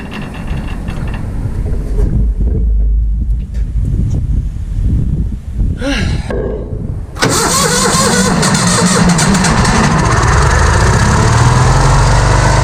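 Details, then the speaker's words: Vintage Hydra-Mac mini skid steer, after cleaning the ignition points, on a low battery: cranks and catches after a few seconds, then runs fast and steady well above normal idle; throttle sticking; high idle. "Cleaned up the points on this thing and it pretty much fired right up. Stayed running. It was idling real high."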